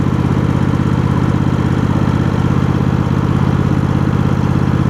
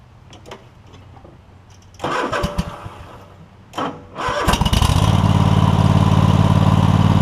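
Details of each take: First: Cub Cadet GT1554 garden tractor with Kohler V-twin, new ignition coils fixing a coil issue, restarted hot after 30 minutes mowing: even, steady putter at idle with no misses, surging or rattles; normal idle. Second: Free Cub Cadet GT1554 garden tractor, Kohler Courage V-twin, 330 hours, new battery: two short cranking bursts before it catches and settles into a steady, even idle; a little slow to start but nothing ridiculous, before new ignition coils and belts.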